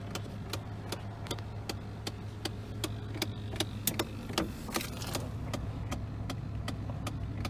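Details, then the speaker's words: 2001 Chevrolet Silverado with broken A/C; the clicking began when the A/C was switched on. With the phone low under the dash, steady light ticking about 2.5 per second over engine hum; the owner suspects a motor in the HVAC box. "so i'm going to put the phone across the bottom of the it sounds like it's coming from the bottom of the dash"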